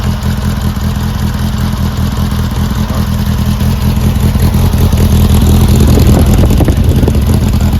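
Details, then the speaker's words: Brubaker Box newly installed engine with two-barrel carb, first start after ether spray: catches into a steady, slightly lumpy low thrum that firms up as it warms, running on its own. Normal running after first start. "fantastic the Brubaker box is alive"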